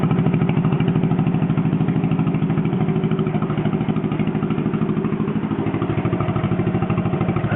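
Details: John Deere 420 Crawler two-cylinder tractor restarted after running out of gas; even putt at about three beats a second, steady with no knocks or misses; generator turning; runs normally.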